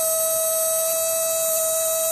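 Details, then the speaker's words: Replica Imhotep relay charger powered by a solar cell, charging a battery that rose from 11.81 to 11.83 V in about four minutes: steady, unwavering high hum, running normally. "i'm humming away well i'll come back a little while we'll see what we're doing"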